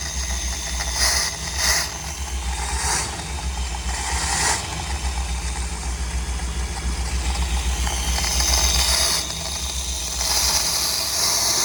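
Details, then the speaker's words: 1973 Dodge Vector RV with a rebuilt 440 big-block V8 and a new carb: a lumpy, uneven idle with intermittent hissy puffs and popping that gets progressively worse. An exhaust leak is suspected, not confirmed. "Yeah, we're popping a little bit. So, it starts popping and gets progressively worse."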